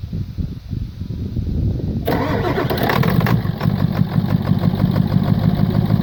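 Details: 1996 Ford F-250 7.3 Powerstroke diesel, about 50°F, glow plugs inoperative, after air-in-lines problem: cranks two seconds, catches, settles into steady even idle clatter without stumbling.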